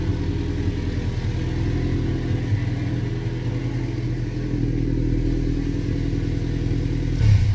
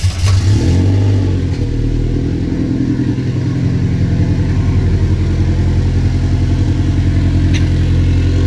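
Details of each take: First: Subaru-swapped VW Beetle with twin-scroll turbo, engine just started after the swap: a deep, throaty exhaust rumble rises under revs and stays even, with no knock or rattle. The owner credits the unusual note to the twin-scroll turbo; healthy. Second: Subaru-swapped VW Beetle with twin-scroll turbo, first start after the swap, cold: loud, deep idle running a little high with an uneven, lumpy note, and it hesitates to rev until warmed up.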